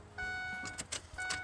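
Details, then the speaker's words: 2006 Ford Econoline E-350 that quit running, after fuel filter replacement: key cycled to bleed the fuel system, and two short electric buzzes are heard, the second briefer as pressure builds. The fuel pump is priming normally. "I heard the pump. I could actually hear the pump. I don't know if you can or not. Just a little buzz there."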